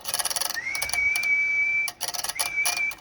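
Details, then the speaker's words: HF amplifier prototype in upper sideband: transmit relay chatters rapidly and irregularly during speech because RF drops between inflections; a steady whistle holds it in and chattering stops. "You can hear you can hear the relay chattering because it's it's not going on right."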